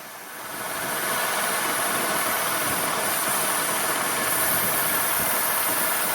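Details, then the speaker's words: GM 3800 Dexcool-era engine, warm idle after repair, tailpipe sounds good: even, steady idle with no misfire, smooth hum and fan hiss; head gasket judged not needed; normal warm idle. "I think she's good. Tailpipe sounds good. It's got no misfire."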